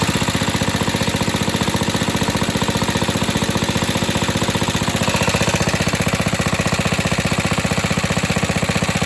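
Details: Atco Suffolk mower running with the choke off: a steady, even thumping at constant speed with no misses or rattles, running cleanly.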